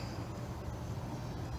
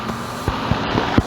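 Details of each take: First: Outdoor home AC condenser unit in Florida while the indoor air blows hot: the fan is not spinning and gives a steady low buzzing hum. It only runs after a push with a stick, pointing to a failed run capacitor. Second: Home central AC outdoor condenser after replacing failed capacitor (fan previously not spinning, blowing hot air): steady low hum of compressor and fan right after start-up, no buzzing or clicking; fixed, running normally.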